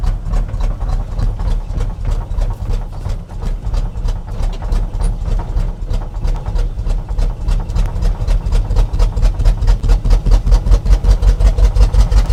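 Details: 1976 Chevrolet K20 3/4-ton 4x4 V8 plow truck, sat for years, at fast idle: uneven, lumpy stumbling thudding about 160 beats a minute; running badly, fuel shot from exhaust and raw gasoline leaking, owner suspects smoked spark plugs.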